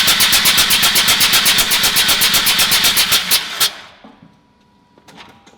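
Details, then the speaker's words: Mazda RX-8 13B rotary, flooded, bottom spark plugs removed via driver's wheel well, throttle pushed fully down while cranking fast and evenly with no firing to clear the flooded engine. "get throttle on or all pushed all the way down and then just crank the car"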